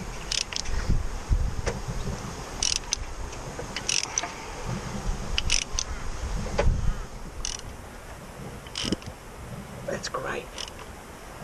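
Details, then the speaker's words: Salvaged non-running Land Rover Discovery Sport diesel with AdBlue system, engine rotated by hand before first start attempt: slow uneven metallic clicks and light rattles from the back of the engine; owner suspects slack timing chains. "All right. I can hear the timing chains jumping a bit at the back of the engine. Not really an ideal sign cuz you want them to be tight."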